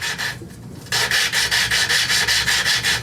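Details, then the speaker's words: Briggs & Stratton engine from a Lawn-Boy commercial mower, valve being lapped into its seat with a drill: even rasping strokes getting finer and finer without gritty catches; valve has bedded in. "okay that sounds good it sounds like it's worked it in you can tell it gets finer and finer"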